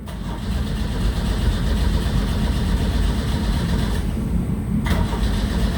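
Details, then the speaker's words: 1984 Pontiac Fiero in a cold garage (about 18°F wind chill), battery on a charger. It ran rough before two spark plugs were pulled to check how dirty they were. Now a steady cranking churn that never catches: cranks, no start. Owner suspects the distributor cap and rotor were refitted wrong. "I bet the cap and rotor wasn't put on right."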